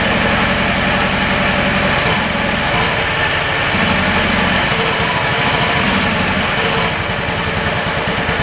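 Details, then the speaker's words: Free 2018 Honda Ruckus scooter bought as a non-runner, first start after checking the plug boot: very quiet single idles unevenly with a stumbling, wavering beat, running rough. "Thing is quiet. Holy cow. Barely hear it run. It's not running the greatest, is it?"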